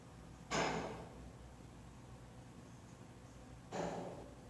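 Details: KONE EcoDisc elevator in a residential building completed 2016: two sharp hissing clacks about three seconds apart over a low hum as the brake operates; loud brake noise claimed to be normal, cause unconfirmed.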